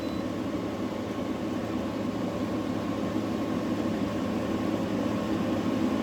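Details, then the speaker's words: New GE 10,000 BTU window air conditioner, model AWFS10WWL, cooling: only a soft, even fan whoosh with no knocking or rattle, and the compressor runs almost inaudibly; normal, quiet operation. "but now I feel the air is almost ice cold coming out of there. And that's the compressor running."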